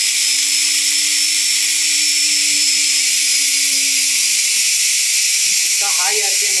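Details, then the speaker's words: Front-load washing machine 6-wire universal motor on a bench test, fed line and neutral through one carbon brush and one field winding, white and blue wires shorted: steady high-pitched whine with brush hiss at full speed, no knocking; runs normally. "पता भी नहीं चल रहा है कि ये घूम रहा है। फुल चला कार्बन का इस प्रकार से हमारा देख सकते हैं मोटर को चलाया जा सकता है।"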